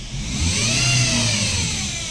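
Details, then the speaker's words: Toyota Vios Dual VVT-i revved around 1,000–3,000 rpm with a high whine rising and falling with rpm, traced to the CVT transmission after alternator bearing, water pump and tensioner were replaced. "Tingnan natin pag nire-rev. Yan yung ingay niya oh."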